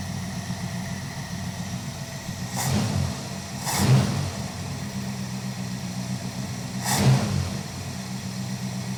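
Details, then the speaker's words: Dodge crew cab Charger project: steady low idle with a few brief throttle blips, even rumble and light engine-driven fan buzz underneath; normal idle. "doesn't sound bad, guys. You know it's good when you can hear the sound of the cooling fan making that buzzing noise."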